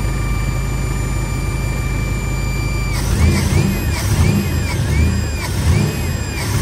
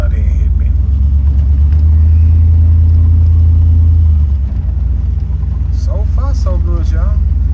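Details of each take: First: V8 idle after cleaning an Edelbrock 650 carburetor: thin steady whine over the idle, wobbling with rev blips; source unknown, owner wonders if related to the carburetor cleaning. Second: V8 G-body under acceleration on a road drive after Edelbrock 650 four-barrel carburetor rebuild attempt; steady roar swells as secondaries open cleanly, no bog, first time owner heard the four-barrel open up.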